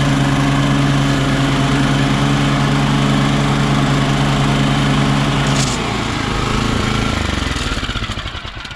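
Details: Toro Turfmaster mower with blades engaged, after fitting a new stretchy rubber belt to fix a knocking noise: steady engine drone with smooth, even blade whir and no knocking, then the engine winds down; normal.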